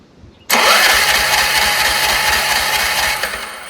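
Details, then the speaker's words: Troy-Bilt 30-inch rear-engine rider: it catches sharply on starting spray, runs rough about three seconds, then dies. Runs only on spray; owner suspects a dirty carburetor or bad fuel solenoid blocking fuel. "So it only ran on that little bit of spray that we sprayed, which means that I think carburetor's dirty, the fuel solenoid is bad, and it not letting fuel go in."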